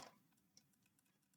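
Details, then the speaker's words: Faulty clothes steamer, casing opened: a couple of sharp clicks as the button presses its internal switch, which engages cleanly; switch clicking normally. "So, that button does press a switch and the switch is engaging, but is it working?"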